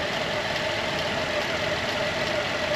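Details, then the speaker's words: 2010 Buick Enclave CXL V6 after repair: now a quiet, even idle with a soft steady hum, no stumble or surging; the misfire and occasional stalling were caused by a vacuum leak, not the ignition coils another shop suggested. "ahora está callado y todo era por culpa de del vacum que tenía la"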